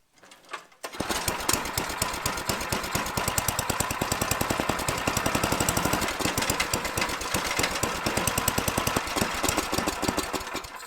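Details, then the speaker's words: Tecumseh-engined Troy-Bilt/MTD snowblower, after friction ring replacement, sputters and surges at about half rpm with slow uneven chuffing; owner suspects gummed-up, clogged carburetor needing removal and cleaning. "if you can see it just kind of wants to run about half the RPM and so I'm pretty sure the carb is gummed up and I'm sure it's clogged so the carb is going to need to be torn off and cleaned out"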